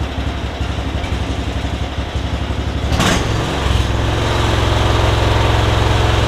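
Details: MTD Yard Machines riding mower, after straightening a bent blade lever that missed its safety switch: starter cranks about three seconds, engine catches and settles into an even steady idle; normal running, battery charging.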